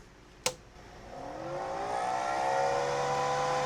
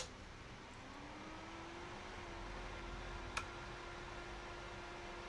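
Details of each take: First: Carlsbro Powerline 300 pro audio amplifier before repair: click at switch-on, then loud whirring whine rising as the worn cooling fan spins up, like a jet taking off; fan due for replacement, amp otherwise works. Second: Carlsbro Powerline 300 amplifier after fan replacement, first switch-on: soft low hum rising as new fan spins up, then quiet steady whirr; much quieter than the old fan, healthy.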